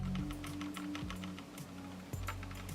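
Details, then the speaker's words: Logitech G302 mouse shaken with its buttons held: quick, irregular bursts of light plastic clicks. Likely sensor rattle, milder than on the G303. "it sounds like there's a ruffle in this one too which is funny because I used to furrow solid nine months and didn't notice it it's nowhere near as bad as the g3 zero three that I had"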